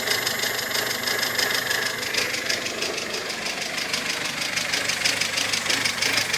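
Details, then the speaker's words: Mazda 626 engine at idle, with an oily-looking leak between the block and the gearbox. A fast, light, even chatter of about three ticks a second, heard from up top. Possibly a hydraulic lifter, but the cause is unconfirmed. "Какой-то очень странный стрекот. То ли гидрокомпенсатор, то ли не он."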